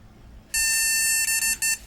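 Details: Flea-market retro PC at power-on: one long beep then three short ones, the board's no-graphics-card POST code; boot is intermittent, suspected bad connections at a chip.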